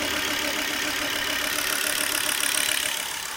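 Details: Volvo V70 2.5T: steady idle with a light, fairly regular tick about three and a half times a second over the hum; engine noise at idle, cause not clear.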